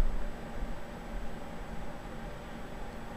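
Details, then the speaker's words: Rebuilt ColorsIT computer power supply with a replaced fan controller board: faint steady hum and soft airflow hiss, no whine or rattle. The fan is audible at first, then slows to near-silent and speeds up if the inside warms. "It does it silently. And the neat thing here is, if you know things get warm inside there, that fan will speed up to keep this thing cool."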